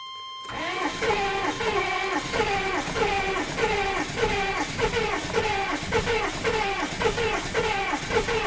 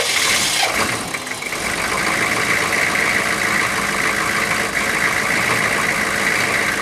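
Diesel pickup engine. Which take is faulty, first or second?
first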